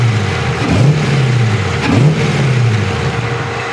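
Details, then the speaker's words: LS1 V8 after a Brian Tooley camshaft swap, first start-up idle: deep and clean with a slight choppy cam lope and a couple of quick blips, no leaks underneath. The Holley Terminator X Max still has to relearn the engine. "oops Got Her Island great sounds good got a little chop just a little bit no leaks underneath which is great news"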